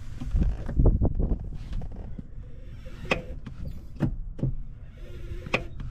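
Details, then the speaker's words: 1995 Nissan Hardbody manual: sharp separate clicks a few seconds apart each time the clutch pedal is pushed in; source unclear, a broken piece found nearby may be related. "the sound is when I push in the clutch I get a clicking sound kind of like this"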